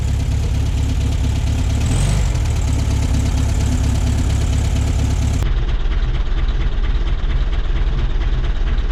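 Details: 1966 VW Beetle, non-original but correct rebuilt air-cooled flat-four: even, steady low chuff at about two beats a second, no knocks or misses; healthy idle.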